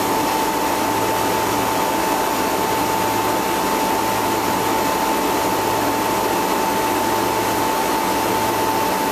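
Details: First start-up of a replacement two-speed (2/4 pole) Bristol compressor in a refrigeration condensing unit, after condenser leak repair and suction line replacement. Steady airy roar with a constant mid-pitched tone and an intermittent low hum: compressor runs evenly.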